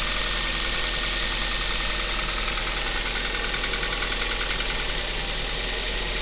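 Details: Cold start of a Kia Ceed engine at raised idle: dull, quick knocking about three times a second; the noise fades as revs drop. Cause suspected, not confirmed.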